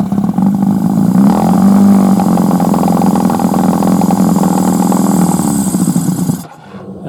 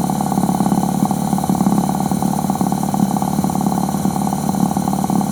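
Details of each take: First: Suzuki 1100G with Mikuni carbs, vacuum throttle slides suspected, run warm for a few minutes: engine drones along, then falters and dies about six seconds in as the throttle is opened; it bogs and stalls. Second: Suzuki 1100G with Mikuni carbs, after sitting, carbs cleaned, engine cold just after start; steady even idle with a quick regular beat, no misses, though it smells a bit rich. Normal idle.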